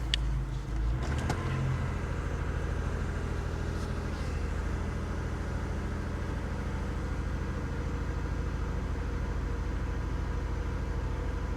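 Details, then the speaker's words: Vehicle at salvage auction, started first try: steady, even low idle with no knocks, misses or squeals; runs good, A/C compressor engaging. "she runs good she does all right"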